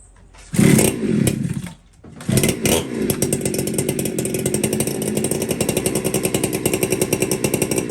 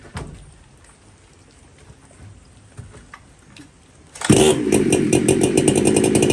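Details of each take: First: Warm chainsaw, air cleaner cleaned, low jet reset to one turn out: catches after a few pulls and runs a fast, slightly ragged idle. Uneven low-speed running; suspected the low jet is a little lean and starting to starve for fuel. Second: Chainsaw with dual port Walker muffler, high jet at 3/4 turn, low jet improved: quiet, then fires and holds a crisp, steady high-revving buzz without stumbling or surging. Normal, healthy running, though the high jet won't tune and a new carb is suggested.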